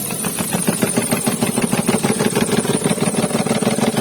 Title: Check Engine Light On | Engine Misfire [ Toyota Wigo ]